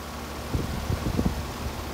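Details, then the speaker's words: 2011 Carrier heat pump condenser fan restarted after oiling the motor and reconnecting the capacitor, run to check whether it is smoother: steady low whoosh spinning fast, a few soft bumps, no squeal or scrape; normal fan run. "it appears to be spinning fast"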